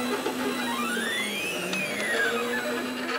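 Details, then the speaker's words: Celeritas fast 3D printer concept, CroXY carbon fiber tubes, after swapping IGUS drylin bushings for cheap LM8UU linear bearings; stepper motors sing rising and falling tones as the head sweeps, with a buzzy rattle from the bearings. "I mean it's way more precise but it's a lot more [Music] vibration hear that vibration that's in the barings"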